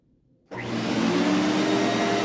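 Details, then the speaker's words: SC Johnson Vectron (Iona) vacuum, originally a commercial machine, first power-up after unboxing: motor spins up quickly to a steady even Ametek-style whir like a Phantom, no rattles; possibly the original motor, healthy. "Sounds like a Phantom. It's got that um signature kind of whirring and Ametek motor sound."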